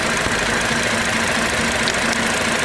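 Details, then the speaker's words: Car whose oil hadn't been changed in four years, after an oil flush: idle with faint irregular tick and unevenness coming and going, traction light on; lifters possibly acting up. "But hopefully it runs, and can you hear that? It's not very happy. Not very happy at all."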